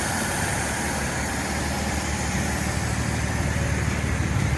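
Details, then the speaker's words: 1948 Dodge flathead straight-six with a new Fish carburetor intake and baffled "shotgun" dual exhaust with silencers: a steady low idle rumble with an even beat. Normal idle; the earlier tick at the exhaust pad is gone. "Rumble definitely took that little tick away at the exhaust pad when it was idling"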